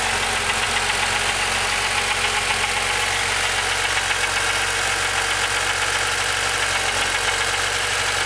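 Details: Rebuilt S20 transmission: a harsh, gritty grind rides steadily over the idle and goes away when the clutch is pushed in. Possibly a worn input shaft bearing, not confirmed.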